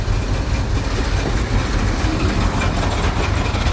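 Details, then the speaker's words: 1964 International service truck, first start after sitting, with some oil pressure. A deep, uneven, lumpy, stumbling idle like a hit-and-miss motor, seemingly running on about four cylinders; it needs a tune-up, cause unconfirmed. "man it sounds ly com it's definitely not happy guys and it could probably use a tuneup but let's give it one more try see if it'll clear up a little bit almost sounds like a hit and miss motor definitely running on like four cylinders"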